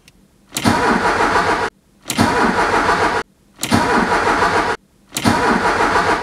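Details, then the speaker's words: Ford Scorpio 2.0i GL, 200 km after repair: engine catches almost instantly on each crank and runs evenly, a clean start; earlier starting fault thought to be a loose contact. "je pense que ça devrait démarrer au quart de tour vous commencez à connaître les voyants vont s'arrêter"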